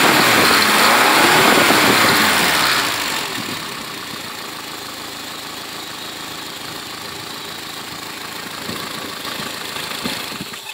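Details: First start of a freshly built Renault Dauphine 1093-replica engine for a Renault 4: 904cc, reground camshaft, domed pistons, balanced, modified cylinder head; revs up crisply then drops to a steady, even idle with no knocking or misfiring; healthy.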